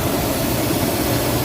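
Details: 2006 Toyota Tacoma 4.0-litre that had died and would not restart, no fault codes on the scanner; now starts and runs with a steady, even hum, no misses, knocks or ticks.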